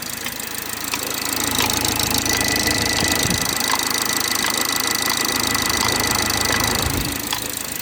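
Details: BMW 430i xDrive, B46/B48 4-cylinder, cold start in cold weather: fast, fairly even ticking about three a second over the cold idle; source not yet pinned down.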